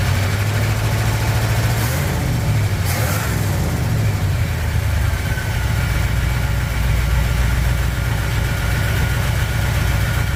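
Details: 1959 Chevy El Camino V8, first start after head gasket repair following overheating, cold, water temp just rising: loud deep idle with faint irregular clatter fading as it settles. Owner suspects a dry cylinder smoothing out.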